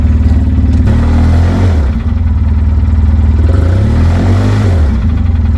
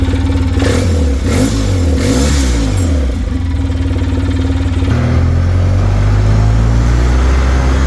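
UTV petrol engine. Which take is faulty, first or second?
first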